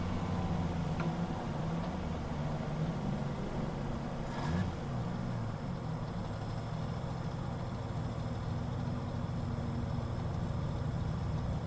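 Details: Drift car engine at idle: low, rough, uneven stumbling beat instead of a smooth hum; the engine is misfiring.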